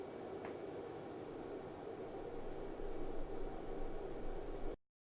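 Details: Rigol DP832 power supply after replacing the noisy stock Sunon 80mm fan with a Noctua NF-A9 PWM 92mm fan on an adapter duct: soft, steady airflow hiss, low and even with no whine or rattle.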